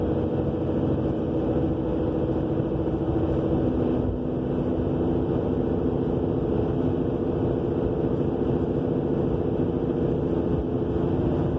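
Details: 2000 Subaru Legacy AWD at 50 mph, recent new brakes, calipers, rotors and wheel bearing: deep continuous roar from the rear with road rumble, scraping-ish when braking, no shaking; cause unknown.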